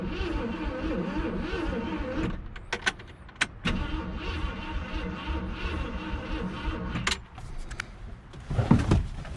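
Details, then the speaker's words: 1966 Ford Galaxie, 352 V8 four-barrel, first start attempt after 26 years, gas down carburetor: starter cranks steadily in stretches but never fires; ignition problem suspected. "what happens I give it some gas all righty so we still having an ignition problem from the sounds of it so let me do some more troubleshooting"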